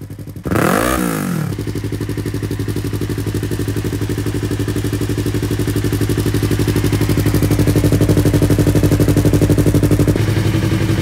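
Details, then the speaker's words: Yamaha R3, after the backfire fix and hose refitted: a quick rev blip, then a smooth, regular beat with no pops or bangs; runs clean without backfiring. "So ayan, problem solve tayo guys. So nakaligtas na naman tayo sa gastos."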